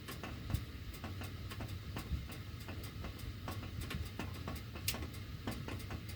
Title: CAN ANYONE EXPLAIN WHY MY DUCTWORK MAKES THIS NOISE WHEN MY HEAT IS ON